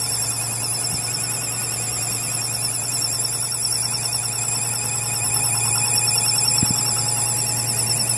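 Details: 5.7 Hemi engine with a loud, piercing, warbling high-pitched whistle or squeal sitting steadily over a low engine hum; source not pinned down.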